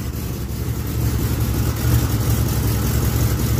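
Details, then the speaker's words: 1980 Chevy K10 V8 cold start: low, lumpy, loping idle with an uneven pulse; owner suspects it is running rich because the choke or fast idle did not come on fully, improving once fast idle engages. "thanks sounds like she's running a little fat there either the choke didn't come on all the way"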